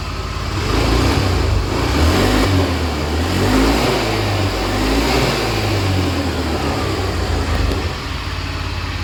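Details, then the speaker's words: Honda Beat FI that hesitated on initial acceleration, after repair: throttle blips rise and fall cleanly with quick pickup and no bogging. Cause was the fuel pump; normal revving. "Oke, bro. Sepeda motor ini sudah diperbaiki dan bisa digas, seperti yang Anda"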